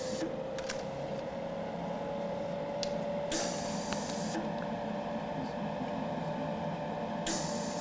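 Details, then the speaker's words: Eastwood MIG 175 welder, machine on, shielding gas flow-meter gauge watched while the trigger is pulled. Soft airy hiss in short bursts over a room hum, with a roughly two-second post flow: normal shielding gas flow. "now do you want to adjust it while you're pulling the trigger or while you want to adjust it while there's gas going through it okay and you can hear there's our machines are are set up with like a two second post flow"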